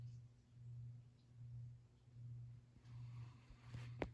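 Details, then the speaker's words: 44-inch Hampton Bay Cameron II ceiling fan, c.1996, King of Fans OEM, running in a basement; low steady hum near 100 Hz swelling and fading slowly, much noisier than larger version, cause unknown — motor hum. "fans they hum or at least this one does it's weird cuz the bigger version that most people know they don't really make much noise at all but when it's quiet you can hear this reverberating throughout the entire basement this thing is quite noisy"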